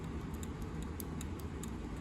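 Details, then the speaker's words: Springfield Armory Hellcat pistol shaken by hand: light quick ticks from the loose striker rattling, since there is no striker return spring; normal for Hellcats and it still works fine. "if you have a hellcat you'll probably notice the rattle it makes because of the striker it's loose so it makes a rattling noise"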